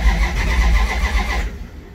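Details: Big block Duster V8, first start attempt after fitting headers and running new fuel lines: low heavy starter churning with no firing, fading as cranking stops; turning over to build fuel pressure before fuel arrives.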